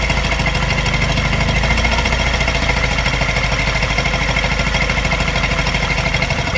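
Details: Mini N12 engine, not quite cold but not warm, at a fast idle: light fast valvetrain tapping that coincides with a regular slight misfire stumbling the beat.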